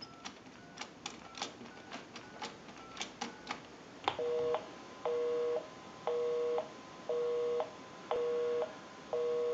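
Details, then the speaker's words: Repaired and converted single slot payphone on final checkout, heard via amplified pickup: quick keypad tones dialing the repairer's own number, then an even on-off busy tone about once a second; normal dialing and busy signal. "We'll call my number, and it'll be busy. Give you some dial tone. And we'll make that call."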